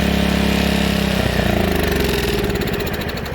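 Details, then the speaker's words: Old Honda HRA215 SX self-propelled mower, shed-stored for seasons, needs carb cleaning and tune-up: single-cylinder engine chugging unevenly with a rich, lumpy beat that shifts under load; runs only on choke with manual prime. "This thing's probably got to warm up for a minute before it'll allow us to run it with the blade clutch on."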